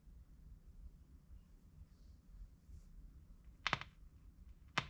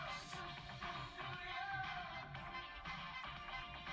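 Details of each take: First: 1958 Kriesler 11-81 valve (tube) radio on the bench: sharp, irregular snapping cracks every second or so over a quiet hum; a stray wire across a rectifier valve terminal is shorting and sparking. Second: Kriesler 11-81 valve radio from about 1958, fully recapped, on variac and dim bulb: music plays clearly, very quiet with no mains hum or crackle; healthy after repair.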